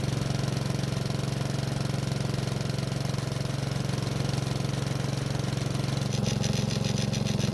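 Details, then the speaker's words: Honda lawn mower that starts but runs poorly and lacks power, probably on old gas, just after a dirt-clogged air filter was replaced: low, heavy, lumpy idle thumping about three times a second, with black smoke from the muffler. Rich mixture, too much fuel getting in. "As you just saw, it took several pulls to get it to start, which is probably the old gas, but we also had a lot of black smoke coming from the muffler. It also blew out smoke when we adjusted the throttle speed, which it's not supposed to do."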